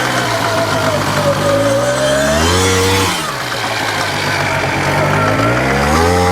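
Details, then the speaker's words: 1993 Polaris Sportsman single-cylinder after water pump seal, counterbalance shaft and JB Weld case repairs, revving up and settling back smoothly with no misses or knocks; transmission still clunks but quieter. Normal running. "That's what I'm talking about. Runs pretty good. Doesn't stop wear a but runs pretty damn good."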